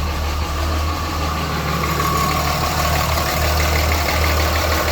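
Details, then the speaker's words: Cummins 5.9 diesel truck started cold to duplicate the customer's complaint of a hard misfire at startup: heavy smoke and a loud, uneven, lumpy idle beat about three a second, running rough. "you guys can hear it. It's definitely running a little bit rough."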